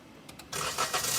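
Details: Maruti Swift (stated 2017 model), front of engine, started with clutch pressed: brief crank, then a harsh raspy whirr runs over the engine; crank pulley appears to move outward, suspected crank end play; starter not disengaging after start.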